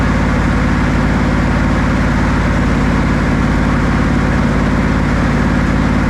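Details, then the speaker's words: Buick 455 big block (built to 461) in a 1971 Electra 225 during cam break-in, held around 2,000–2,300 rpm, oil pressure about 50 psi, temperature rising: strong even V8 pulse, no misses, ticks or knocks; healthy. "it's running really good oil pressure is good around 50 lb our temperature is sted to come up"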